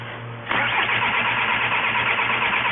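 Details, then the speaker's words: 2004 VW Jetta wagon, 1.9L TDI BEW diesel, quit running while driving: steady, even cranking that never catches or picks up speed; the engine is starved of fuel and won't start. "But the point being, the complaint is no start. Can you get in it and crank it for me?"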